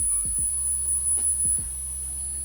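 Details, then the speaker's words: Microlab 360W PSU board, out of its case, with the standby section apparently whistling. A thin, steady high whistle over a low hum; its pitch changes when a nearby capacitor is touched. "ну и что все вроде бы работает запускается но свистит и причем свистит вернет тональность этого свиста меняется когда я касаюсь вот этого конденсатора"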